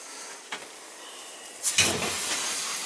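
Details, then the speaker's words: Trapped air and spitting water rushing out of the return valve as an oil-fired boiler's hydronic heating loop (1-inch supply through the flow check, looping around the house) is purged during spring recommissioning of a winterized oceanfront home. "once I open that I could flick this up give it a little bit more Gundy mama you'll see all the air coming out what it's doing is it's pushing you know through the loop and then back it's pushing through the loop through the house and then coming back and out the Hol"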